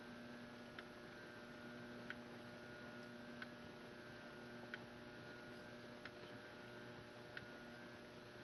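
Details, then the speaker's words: 1989 AC-742 ceiling fan of unknown brand, possibly Litex, on medium and low speed: a steady, slight electrical buzz with a faint tick about every second and a half, a little louder than another fan but not loud; motor buzz, cause unclear. "yeah, it makes that same slight buzzing sound on medium and low. Although this one seems to be a little bit louder, but it's definitely not belligerently loud by any means."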